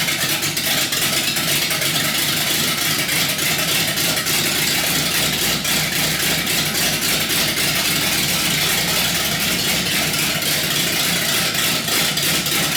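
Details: Chrysler 318 V8 built to idle rough, with raised compression from Keith Black 6cc domed pistons and a Comp Cams camshaft. It has an uneven, loping, choppy idle with loud mechanical chatter, a lopey cammed idle.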